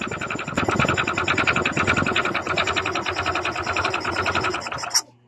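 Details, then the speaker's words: Honda Click 125 scooter running with the CVT removed. Fast metallic rattle-knock over the running engine until shutdown, louder than normal valve tick. Connecting rod knock. "So meron din dito guys, no? Malakas din ang kanyang ingay ng kanyang makina, ugong, no?"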